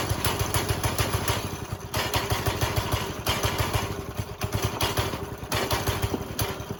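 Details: Briggs and Stratton 5.5 hp single-cylinder go-kart engine, first run after pull cord replacement: even, steady thumping beat with strong low chuffing and no misses; normal running.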